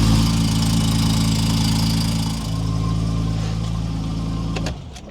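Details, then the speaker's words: Steady low idle with a faint, quick tick until shutdown; owner thinks the exhaust gasket was not seated right and will apply exhaust gasket maker to both sides. Very minor exhaust leak. "Now to fix that very minor exhaust leak, which is probably my fault anyway. There's just a tiny little leak right there."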